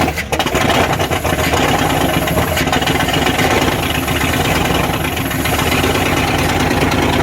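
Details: 1994 Dodge Ram 1500 318 (5.2L) V8 after rodent wiring, vacuum line and fuel pump sending unit repairs, catalytic converter missing: loud open-exhaust idle, steady but rough edges; running, possible bad wires or clogged injectors suspected.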